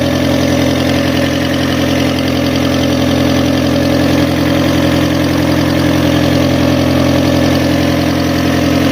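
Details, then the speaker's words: Fiat Stilo after an engine swap and a redone timing belt, cold start with the alternator on. A steady idle with a fast, even puffing tick about three per second: an exhaust leak, probably on top. "well the exhaust is leaking somewhere uh probably on top but that's for another video"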